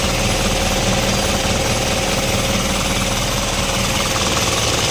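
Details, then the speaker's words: Isuzu 4HL1 diesel at idle after retarding injection timing three teeth: steady even clatter, starts on one click, earlier knock and hard starting gone. Normal diesel idle. "at one click na ang starting Ayan na wala na rin yung lagutok"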